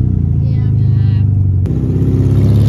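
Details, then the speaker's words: 1971 VW Beetle, just back running after 23 years parked, with a new wiring harness, carburetor, coil and electronic ignition conversion: steady, fast, busy idle with an even beat and no miss; idle speed is set too high and needs turning down. "It sounds like it needs to be idled down a little,"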